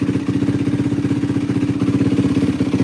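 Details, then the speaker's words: 2004 Yamaha WR450F single after carburettor rebuild kit, started with a little choke, pilot mixture screw 2 turns out: even, steady thumping idle, regular pulses, no misses or hunting; feels solid. Normal idle. "This thing's freaking running tits McGee right now. Yeah, this thing runs tits. Holy cow. Feels pretty solid."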